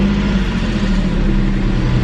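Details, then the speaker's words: Porsche 996 idle after replacing spark plugs and Beru coil packs following P0301 cylinder 1 misfire and P0327 knock sensor codes: smooth, steady low exhaust note, no misses or stumbles; previously lumpy, now even and healthy. "you can hear the exhaust sounds much better nice and even again versus it was really lumpy when I got that check engine light so I am really really pleased with that"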